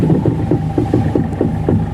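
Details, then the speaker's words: Volkswagen Polo, stationary, steering turned side to side: steady tapping knock about three a second from the left front shock area; suspected worn front strut top mount bushing/bearing. "കണ്ടോ left സൈഡിൽ നിന്ന് sound ഉണ്ട് കണ്ടോ steering തിരിക്കുന്ന സമയത്ത് കണ്ടോ കേട്ടോ ഷോക്കിന്റെ ഭാഗത്ത് ഈ ഷോക്കിന്റെ ഭാഗത്ത് നിന്നായിട്ടാണ് വരുന്നത്"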